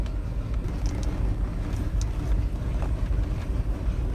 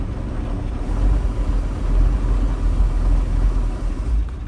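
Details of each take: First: Bayliner Capri 5.0L V8 MerCruiser, warmed up, after a carburettor clean: throttle eased on from idle. The deep rumble picks up evenly with no stumble or dip, where it previously went flat and stalled. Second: Bayliner Capri boat, 5.0L V8 Mercruiser with electronic ignition, out of the water: deep rumble sags and stumbles as shifted into gear, big flat spot and stalling, traced to a dirty carburettor; carburetor cleaning fixed it.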